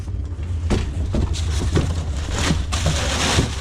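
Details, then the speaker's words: Diesel heater (new unit, possibly "Vivor") just lit: a steady low roar with irregular crackles, like a small diesel engine, louder than before as it burns off stuff sprayed in; normal combustion as it starts building heat. "Yep, that thing just fired up. I can hear it roaring like a little diesel engine now. Oh yeah, she's going."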